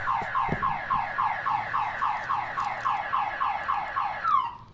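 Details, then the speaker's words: 1992 Acura NSX, pre-purchase inspection: alarm triggered, loud two-tone warble repeating about three times a second; car alarm works normally. "so we know the alarm works"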